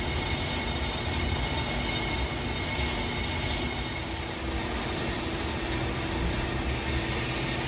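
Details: Brake lathe normal operation machining a 2008 Ford Flex rotor on a three-jaw chuck, slow finishing cut: steady even hiss, smooth motor hum, no chatter; rotor came out smooth.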